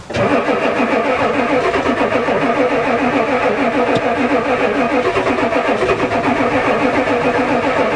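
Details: Ford diesel truck at +4 °C, cranking strongly and evenly with a newly installed glow plug controller that never clicks; it fired a little but won't catch, diesel smell. Owner suspects the controller doesn't work.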